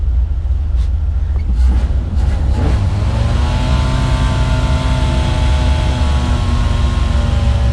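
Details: 1989 Dodge D250, carbureted, start after sitting for decades, fuel just reaching the carburetor, high idle, air filter off: uneven chugging with wavering idle and uneven firing, running rough.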